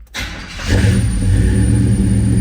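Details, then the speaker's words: 1972 Chevrolet El Camino big-block V8 with aftermarket fuel injection, power steering and brakes, key turned without throttle: fires within a second on a cold start and settles straight into a deep, steady idle with no stumble or hunting; healthy. "see it was a nice cold start and what a symphony of sound coming out of that big block let's go out and give a closer listen to it I love that Rumble folks"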